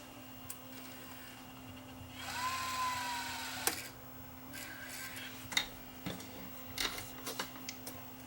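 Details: Digital tape deck, after its slipping, squeaking drive belt was replaced with an O-ring. On skip track, a short high motor whir winds the tape, then small mechanical clicks as the deck settles into play: normal tape transport seek.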